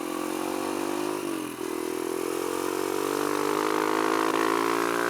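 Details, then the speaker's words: Kawasaki KLX140 with newly installed KX65 carb, first test ride: pulls well at quarter throttle, then sags, bucks and falls flat around half throttle; owner suspects the needle needs adjusting. Half-throttle stumble. "to have a half throttle it just kind of falls flat a little bit kind of like it bucks and stuff and doesn't want to go"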